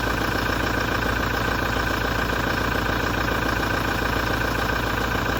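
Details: 2017 Toyota diesel after major service, at idle: hard regular knock about three to four per second with metallic, gritty grinding vibration underneath; source not yet identified.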